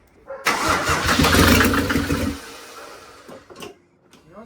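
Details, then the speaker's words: 1984 Mercedes 380SL with swapped turbo OM603 3.0 inline-six diesel and 716 6-speed, first start after glow plugs: short crank, quick catch into loud rough clatter settling to low idle; healthy start, throttle not yet connected. ">> well, the car runs. >> Yeah, the car runs."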